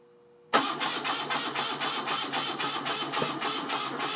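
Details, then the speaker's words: BMW R75/5 engine on the bench, battery coil ignition, cold start with carburetor enrichers up: engine catches at once and settles into an even, slightly lumpy fast idle, firing cleanly; normal choke start. "put the enrichers up on the carburetors fire it up and uh i'll lower the enrichers and see if it will idle on its own for for a bit"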